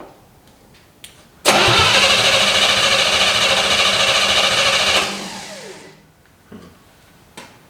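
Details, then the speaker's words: 1955 Chevy stored 20 years in a shed, firing order corrected: fires and runs a few seconds on a rough roar, then dies without recovering; the carburetor is not feeding fuel. "nope it's just got no fuel that's a bummer"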